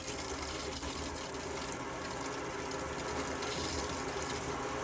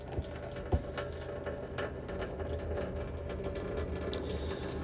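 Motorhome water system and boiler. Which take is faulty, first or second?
second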